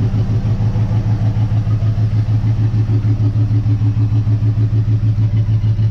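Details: 1958 Dodge Coronet Lancer barn find, idling after warm-up following plug gapping: low, lumpy idle with a regular pulse about twice a second; one cylinder not firing, timing-light check shows nothing on number two, same after swapping plug wires.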